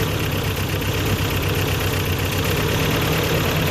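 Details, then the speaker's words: Toyota 22RE with new timing chain and water pump, just started after 3-4 weeks sitting, needing throttle to start: lumpy idle shaking heavily with a stumbling beat, will barely rev and bogs when floored; misfire, rough idle. "There we go. That'll idle. But it's shaking like crazy. Obviously there's a miss in it."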